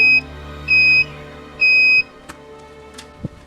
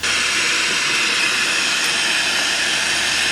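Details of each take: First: Polytron PSC 35WB 1990s cassette deck, tape drive motor leaf switch tested with multimeter continuity buzzer: three steady high beeps then quiet clicks; switch contact is good, before cleaning and replacing slack motor-to-flywheel belts. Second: 1990s Polytron PSC 35WB cassette/AM-FM radio, FM stereo band: a steady, even rushing hiss with no station, voice or music; the tuner receives no broadcasts.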